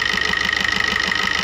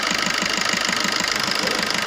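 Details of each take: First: Maruti new Swift diesel idling with regular knocking and white smoke when revved: sharp metallic knock about six a second; return test shows injector no. 1 returning about double cylinders 2–4; injector to be serviced, tank cleaned, fuel filter replaced. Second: Maruti new Swift diesel idle after servicing knocking injector no. 1, cleaning fuel tank and replacing diesel filter: steady even beat, no knock, engine vibrations gone; smooth normal diesel idle.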